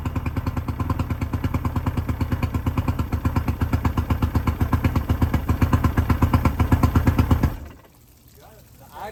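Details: 1999 Bayliner Capri with 125hp Mercury outboard during rebuild, extra oil premixed in the tank: even, steady pulsing idle sitting a touch slow, no misses or knocks, then a clean shutdown; runs healthy, idle a little low, telltale working.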